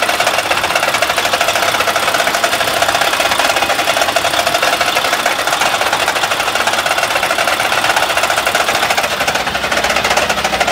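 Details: Mack truck MP8 diesel that will not build air pressure; a previous mechanic said it needs a new engine. Fast, hard tapping clatters nonstop at steady engine speed; rapid knocking, cause unknown.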